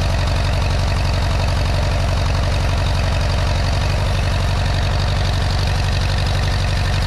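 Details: 1957 Allis Chalmers IB tractor started after sitting a couple of years; steady low idle with slightly uneven firing, a little rough, owner suspects from long storage and needing more run time.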